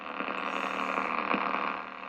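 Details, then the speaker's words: National HRO-500 receiver with mute transistor Q16 pulled: steady buzzy rumble with faint ticks about four times a second. The high-frequency oscillator's sawtooth sweep keeps seeking and never locks. "seeking, so. So I think that rumbling sound is the sawtooth generator right there."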